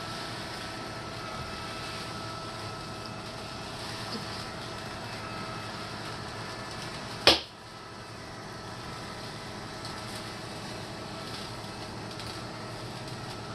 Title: Litter Robot 3 - Popping noises